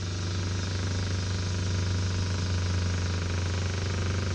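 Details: Minn Kota trolling motor rescued from the trash (needs a switch, a bolt missing) runs with a steady low electric hum and faint whir, pitch creeping up as it slowly gains speed; smooth, motor judged pretty good.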